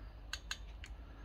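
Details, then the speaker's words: Rover P6 rear brake caliper, UK driver's side, after a partial rebuild: a few crisp, light metallic clicks in quick succession as the handbrake lever is worked, the self-adjuster ratchet taking up normally to set the pads against the disc. "See it lift up, and then it drops back a bit. And you can hear it clicking while it's adjusting."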